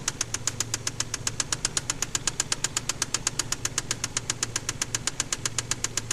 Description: KLZE spun the crankshaft bearings on cylinder No.6